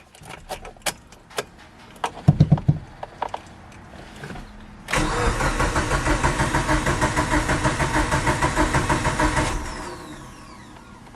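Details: Mitsubishi Evo 8 sitting 8 years, first start after replacing the damaged starter with one from another Evo, in neutral with clutch in: steady rhythmic crank for about five seconds, then it catches and settles; healthy crank and start.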